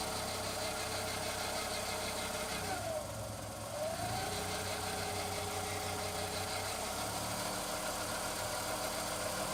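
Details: Skoda Fabia 1.2 HTP 60 PS, warm engine at about 1300 rpm: a steady run with a rough, gritty grinding rasp, heard only when the engine is warm and not when cold. The cause is unknown.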